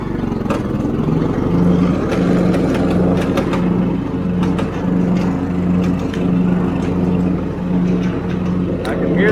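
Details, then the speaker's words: John Deere LT155 mower after its wrecked deck was hammered back into shape. A steady mower drone with sharp irregular ticks about ninety a minute as the blade strikes the hammered spot under the deck, which may wear a piece off. "can hear that blade hitting that point under there where I hammered. That might wear a piece of that off."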